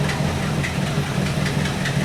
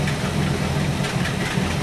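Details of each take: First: 1964 Buick Electra 225 401 Nailhead V8, freshly reinstalled rebuilt Carter AFB 4-barrel, warmed up at idle: loose uneven lope with occasional stumbles as a cylinder drops out while the dwell meter drops. Intermittent misfire; the owner suspects an aged condenser/ignition. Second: 1964 Buick Electra 225 401 Nailhead V8 with a rebuilt Carter AFB 4-barrel, idling at 500 rpm with dwell at about 30 as it should be: slow even low throb with no misses or knocks. A smooth, healthy idle for the moment.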